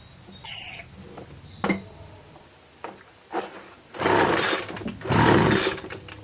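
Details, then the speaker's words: Homelite 25cc two-stroke leaf blower, spark and fuel confirmed: several rough recoil pulls about a second apart, never a single firing stroke; lost compression from a scored piston, found at teardown, prevents starting. "I've been pulling and pulling nothing happens not once"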